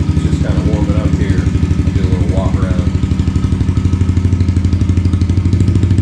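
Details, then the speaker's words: Yamaha TTR110 pit bike with a Pro Circuit pipe, just fired up: steady, even single-cylinder thumping at low idle with no misses or knocks; normal idle. "so I just fired it up that's the sound of it idling"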